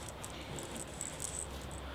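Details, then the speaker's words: M32 gearbox from an Astra VXR during a rebuild: an old pinion bearing spun by hand gives a dry, gritty rattle that never runs smooth. The races are pitted and dull, a cause of gearbox whine; all bearings are being replaced. "you can see that this bearing is really really pitted your the the pit marks in there all the dullness lines and you can probably hear quite noisy as well"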